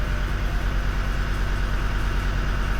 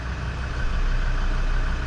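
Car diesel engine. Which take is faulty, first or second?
first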